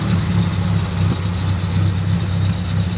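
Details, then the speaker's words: 1956 Dodge Power Wagon petrol engine idling on aviation gas after bleeding the brakes: deep, steady, even rumble with no knocks or misses; runs beautifully, though the accelerator pump is suspected bad, causing hesitation on acceleration. "I tell you what it is it is the run is beautiful"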